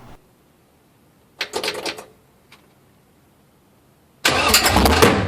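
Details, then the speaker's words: 6.0L V8 swapped Trans Am, first fire-up running open headers with no exhaust: brief sputtering crank, then a sharp bang and loud rough roar; backfire fireball through the headers. "Woo! That was a funny noise. That was a fireball."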